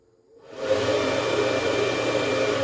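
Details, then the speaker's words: Fresh air fan on speed controller in a homemade diesel submarine, temporary wiring: spins up from near silent to full blast, steady airy whoosh and soft hum, no rattle or bearing noise. "then that's full blast. So the reason I need this is I need I need fresh air coming in when I'm sitting on the surface and I have the hatch closed."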